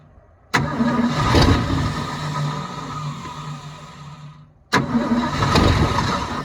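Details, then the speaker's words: 1972 Ford F-350 auction truck on a chilly day, bowls full: catches, runs rough about four seconds, dies, then cranks and fires again; not pumping fuel, and a frozen part found afterward needs penetrant. "Okay, so she's not pumping fuel. She hadn't run really long enough to pump fuel. But she's not pumping fuel."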